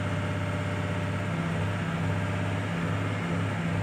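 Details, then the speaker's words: 2006 Ford F350 6.0 Powerstroke diesel, despite new injectors, filters and sensors: steady heavy drone with uneven wavering throb and shaking around 1900–2000 rpm, smoother at 2500; runs rough, owner suspects aftermarket cam/crank sensors or throttle pedal. "and let out and it sounds kind of rough out the pipe that's in about 1900"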